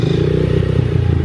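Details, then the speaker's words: Truck the owner calls the old dirty Max; something sounds like it sticks on the gas and the owner suspects the carburetor: rough, uneven clattering idle with a ragged low thump, fluctuating and surging. Abnormal rough idle; carb to be pulled apart. "idol isn't rock yeah that's not it's not normal and then sometimes I'll fluctuate if you let it sit here for a while and let it idle thing will start raising and climbing here it sounds like it's surging right now"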